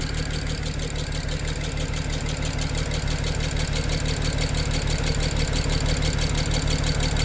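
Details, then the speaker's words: 2007 BMW 335xi twin-turbo inline-six idling with a low chuff and an uneven shaking stumble about three times a second, running on five cylinders. It lessens at higher rpm. Owner suspects a compression leak. "Kind of probably running like a 5-cylinder BMW right now, which, you know. Let me give it a little rev here. Yeah, it's definitely running on 5."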